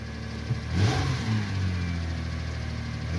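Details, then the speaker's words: 1999 Lexus ES300 just after fuel pump replacement with a Delphi pump and Spectra strainer: the pump prime was not heard, then a soft, quiet, even idle after start-up with a brief rev. The check engine light is not yet out. "started up this is quiet quiet it's extra quiet which is"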